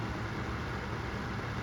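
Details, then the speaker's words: Secondhand Vornado Flippi V10 personal fan on high: steady low whooshing rumble, not super quiet and not loud, like a tower fan, with guard and plastic adding echo but no knocks or rubbing; running normally. "super quiet but it's not really loud either it's just kind of it kind of sounds like a kind of sounds like a tower fan"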